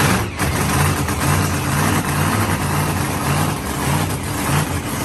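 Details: Supercharged Mopar drag car "Blown Fish" V8 after fitting new set of heads following head damage: loud lumpy idle with heavy low rumble, no knocks or rattles; sounds healthy — normal idle.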